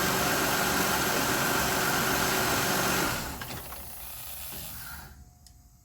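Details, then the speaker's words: Car with P0108 MAP sensor fault, MAP now reading about 5 psi vacuum at idle: smooth, even idle for a few seconds then clean shutdown; starts much better, runs far better than before. "up man that's that's that's 100% better golly it's going to run like a a sewing machine from the consignment shop when I get done with this"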